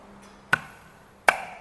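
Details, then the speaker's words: Citroën C4 Lounge AL4 automatic gearbox with the rear cover off, clutch piston air-applied with a regulated compressed-air gun. Two sharp clacks, then quiet with no hiss: the clutch applies and seals, no air leak. "vendo ó ó sem vazamento sem vazamento tá vendo tá aí ó conseguem ouvir ó é isso aí Agora sim a gente pode montar no carro sem dor de cabeça que vai vedar"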